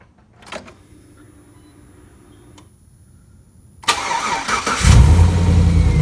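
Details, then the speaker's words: Rebuilt 5.3L V8 after replacing a bad lifter, start after final assembly: brief cranking, then catches into a steady, even low idle with no obvious ticking. "right it's running perfectly now that's what I want that's what we're looking for solid lifters are working fine"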